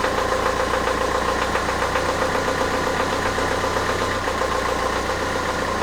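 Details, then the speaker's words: Renault Trafic diesel just after the engine was refitted, idling after a start: slightly uneven for the first 10–15 seconds, then a steady, even clatter, which is healthy. "démarres il a un peu de mal à se stabiliser pendant pe-re 10 secondes 15 secondes et après il est stable nickel"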